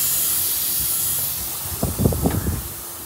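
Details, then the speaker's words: Volvo truck: steady thin high hiss under clunks and knocks, an air leak in the air suspension; first suspected the middle leveling valve, then found it was the air dryer. "Tego cienkiego syczy, aż go tu słychać."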